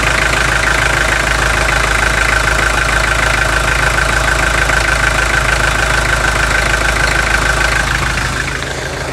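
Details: 2003 Toyota Hilux 3.0 naturally aspirated diesel, first run after adding Bardahl Prolonga, about 5,000 km after overhaul: steady diesel idle with sharp, even knock about three times a second over the clatter.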